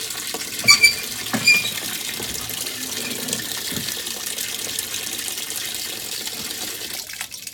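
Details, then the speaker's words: 2012 LG WM4801HWA top-load washer, impeller previously repaired: water sloshing with sharp high squeaks as the drum catches during weak agitation; failing clutch assembly. "See that it's really just catching, making a bad noise, and it should be spinning a lot more vigorously than that."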